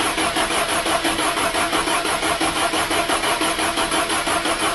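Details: Ford 2.0 Pinto engine in a Mk3 Cortina, first start attempt after replacing the valve stem seals, plugs cleaned, choke out: even starter cranking at about 1.5 beats a second with no firing. It cranks but won't start.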